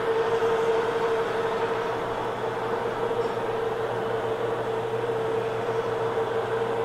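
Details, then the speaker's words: First powered test run of a newly built hobbing attachment gearbox, bearings not yet oiled; slow, steady mid-pitched gear whine with no knocks or catching, no binding, gearbox turns smoothly and sounds fine. "I'm going to run the speed up just a little bit doesn't seem like it's binding anywhere let's see"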